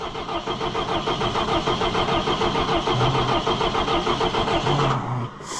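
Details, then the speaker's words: Allis Chalmers 175 diesel tractor, cold, just reassembled with fuel system opened: starter turns engine steadily about three turns a second with no firing; no-start from air in the fuel system, a recurring air problem for this tractor. "It's gonna take some cranking. There's air in it. Air in it and it's cold."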